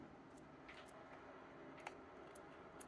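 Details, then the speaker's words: Novritsch SSR4 airsoft gearbox during reassembly, sector gear dropped in after screwing down the mosfet; a single small sharp click over handling noise as the trigger detection switch is engaged by the sector gear. Switch positioned correctly. "hopefully you can hear that click that click is this little switch being engaged by the sector gear"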